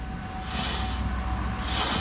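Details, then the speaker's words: Toyota LandCruiser 200 series front wheel bearing, removed and spun by hand: gritty, rattly whirr swelling each turn with a faint ringing tone; bearing worn, being replaced. "ah how good does that sound hang on i'll get it off the alloy and we'll sit it on the concrete down here so he's gonna have a good listen it's oh rattly"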